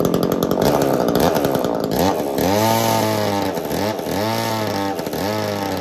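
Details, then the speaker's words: Echo CS-3000 two-stroke chainsaw driving an 80s Versa Tools drill attachment, after loosening over-tight chain tension, clutch earlier overheated: revs climb, dip under the bit, recover in roughly one-second cycles, pulling cleanly through wood; normal drilling under load. "I don't know why but all I did was loosen up the chain tension a little bit it's perfectly happy so makes sense we had too much restriction going going on by how tight I had the chain"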